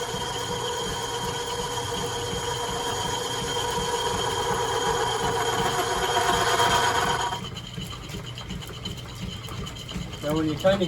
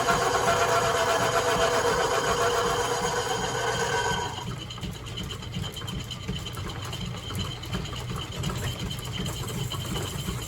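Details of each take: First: Lathe on a lineshaft boring a cast iron pulley for an 1870s thickness planer: even, rhythmic cutting chatter with a ringing tone drops away mid-pass as the tool crosses a hollow inside the casting, perhaps for a set screw. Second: Lineshaft machine shop boring a cast iron pulley dry with a high-speed steel tool, no oil: even rhythmic scraping about four beats a second, quieting where the tool crosses a hollow in the casting; normal dry cutting noise.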